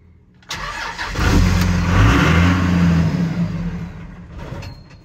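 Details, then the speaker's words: Salvage 2001 Ram Cummins diesel, manual: cranks and catches, runs unevenly about three seconds with a throttle blip, then dies; it revs but won't keep running. Gauge shows half tank; owner suspects it ran out of diesel, possibly alarm. "that's weird i can rev it but it just dies"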